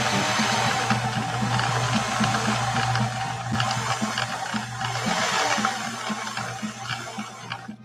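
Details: 1964 Viking Husqvarna 19E Special sewing machine after servicing, sewing through leather in slow gear: steady low hum with even ticking about four per second, music behind; normal running.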